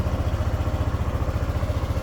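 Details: Motorcycle with a morning hard-start problem, idling after an easy restart (lowest cranking draw 11.58V versus 9.8V earlier): even putter about ten beats a second, no misses or stumbles; normal idle.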